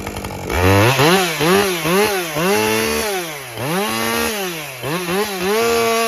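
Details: Husqvarna 550 XP Mark II chainsaw that was bogging with a wet spark plug, after fuel and plug checks, at full operating temperature; it revs crisply and pulls smoothly into each cut with no bogging or stumble.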